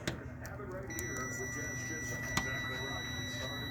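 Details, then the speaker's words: 2013 Subaru Forester engine harness, multimeter continuity test on ignition coil signal wire: steady unbroken high beep, reads zero; wire intact with no break. "I'm touching and I'm touching and you hear the you hear the tone and you see the zero come on there we go okay that means that this wire runs through this harness to that that means that there is no break in that wire"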